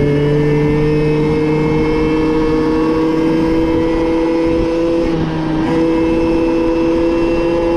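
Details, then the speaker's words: Moped/scooter (MBK) two-stroke after carburetor leaned out (free-flow air filter had enriched it, limiting it to 30 km/h), now reaching 70 km/h; steady buzz pulls smoothly upward in pitch as it gathers speed, no misfire or bogging. "je lui ai juste appauvri sa carburation parce qu'à vu qu'il avait mis un filtre servait enrichi et du coup sont scooter roulait à 30 comme tu l'as vu"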